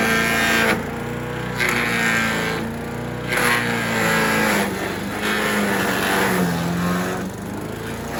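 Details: Troy-Bilt chipper/shredder, rough after carburetor reassembly but now running great, chipping branches on the second day: steady drone dips briefly as branches feed through, then pulls straight back to speed; normal running under load. Owner suspects rocks damaged the blades.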